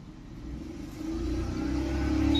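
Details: Maruti Suzuki Alto 800 petrol engine revving with uneven, stumbling pulse and shaky rumble, check-engine light blinking, pickup drop, code P0301; cylinder 1 misfire from failed ignition coil.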